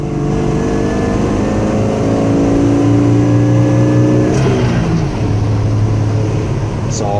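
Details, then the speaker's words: 1979 Ford F250, 300 inline-six (4.9L) with Offy C-Series intake and new 450 cfm Quick Fuel carb, driving. Kickdown near 2500 rpm pulls cleanly and climbs steadily, then drops smoothly at the shift. No bog or stumble, unlike with the old carb. "if I were to stabbed it right there it would have bogged and fallen on its face before it picked up but this doesn't seem to have any of that"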